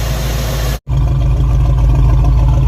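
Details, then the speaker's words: Suzy idling near the exhaust after the timing was reset to about 10 degrees: a deep idle with an uneven, stumbling beat and dropped pulses, a noticeable miss. The distributor orientation is badly offset. "dieter picked up on this right away and uh as you can tell she's got a noticeable miss"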